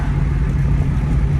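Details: 2002 Ford Mustang GT idling low at about 500 rpm at a red light, with a deep rumble that stumbles unevenly and worsens; a definite misfire. It may keep burning coils, and the car was driven through a puddle, wetting the air filter; a bent rod is suspected. Cause unconfirmed.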